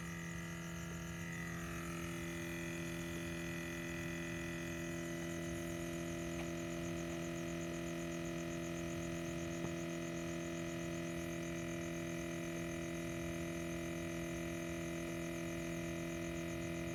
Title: scion TC buzzing/rumbling sound coming from rear section of car while it's off